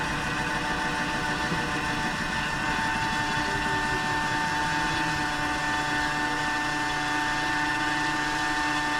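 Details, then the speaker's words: LG front-load washer with a jury-rigged drain pump after a bad-pump problem, at about 12 minutes into the cycle: steady motor whine turns into a rough, slurping buzz once the water is gone; drain pump running empty after a full drain. "so you can kind of hear the noise that it gives when it's drained fully you can just tell there's like a there's a special noise to it"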